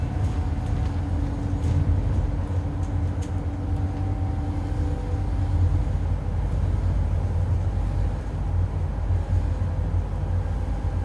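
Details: 2008 Euro 4 Alexander Dennis Enviro 400 bodied Scania N230UD bus under way: faint steady howl holding pitch above deep road rumble; suspected dodgy bearing or worn tyres, not confirmed.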